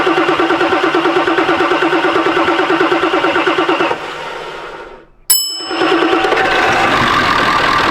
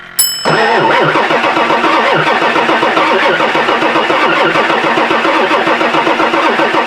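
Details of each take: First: 1999 Ford F-450 7.3 Powerstroke diesel that sat for years, started with better batteries once ICP pressure came up: cranks steadily, pauses, then catches into an even idle with no misses or knocks. Normal start and idle. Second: 1999 Ford F-450 7.3 Powerstroke diesel, sat for years, batteries charged, almost full tank: starter cranks steadily at about four compressions a second but it never fires and no exhaust smoke; owner suspects it isn't getting fuel.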